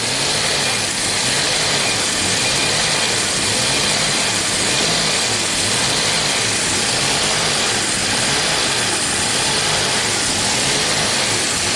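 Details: 1990 Jaguar XJS V12 after about five minutes warming up, idle too high per owner: idle rises and falls in a steady wave about once a second instead of holding even; surging idle, idle switch suspected misadjusted.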